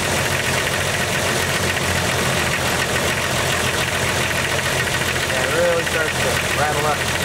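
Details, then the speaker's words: 1998 Jeep Cherokee XJ inline-six idling cold with a quick, even ticking. The owner suspects a lifter; most ticking fades when warm, but the loudest clack on one cylinder stays at operating temperature. "Here that will go away, but that loudest clack will stay on whatever cylinder that is once it gets to operating temperature."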